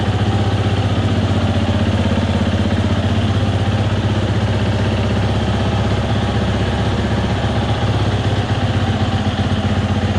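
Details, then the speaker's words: 2020 Husqvarna FE 350, 40 hours, bogged and stalled on quick throttle; after in-tank fuel filter and screen replacement, first start: fast, even single-cylinder putter, about four beats a second, steady without stumbling; definitely better, gasket leaking fuel. "see all these things great well it's definitely better"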